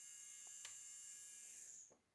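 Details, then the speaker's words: JSDA JD8500B manicure/pedicure electric drill after its DIN connector was fixed, run from a power station with polarity reversed: a thin, steady high-pitched whine that winds down cleanly; the motor runs normally. "and as you can hear and see on the power supply it's working perfect"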